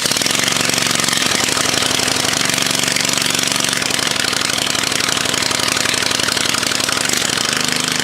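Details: Loud, raw, rapid crackling bark with harsh raspy edge from an 03 Murray Select mower engine running with the rotten muffler missing, on stale fuel, jump-started with booster cables, choke linkage possibly misadjusted.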